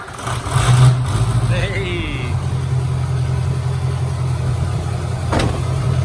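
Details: Diesel mud truck, unused since February after a fire, with a new EGR-area hose and replaced glow plug control module: deep, steady rumble holding an even beat after a brief rev, with no knocks or misfires; runs smoothly.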